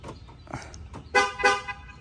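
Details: 2019 Ford F-150 auction rebuild, new door on and battery hooked up, locked with the key: two short clean horn toots a quarter second apart; normal horn lock chirp.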